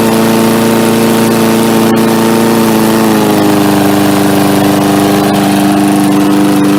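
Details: MTD Yard Machines 3.75 hp 22-inch push mower, carb only cleaned: steady, even single-cylinder drone that settles slightly lower after a few seconds with no misses; running smooth and healthy.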